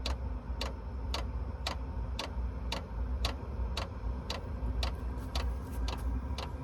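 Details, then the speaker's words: VEVOR 8kW 12V diesel air heater starting up, glow plug heating and drawing 150 W: crisp fuel-pump ticks about two a second over low steady fan rumble; normal start-up, later runs on low at 30 W. "While the glow plug is heating up, we're pulling 150 watts, but that's gonna go back down after it gets going good."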